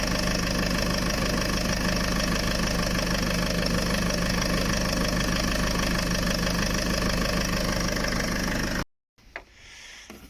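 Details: Land Rover diesel idling after cambelt, water pump, power steering pump and turbo hose replacement, being bled; steady, even clatter with no misses, knocks or squeals before cutting off. Normal idle.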